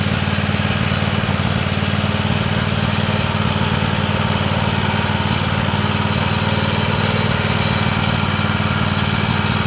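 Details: Free Weed Eater tractor, Tecumseh TVT691 two-cylinder, after oiling cylinders and oil and filter change, first run on gas, warming up, charging: smooth even low thrum at steady idle, no stumbles or knocks. Normal idle.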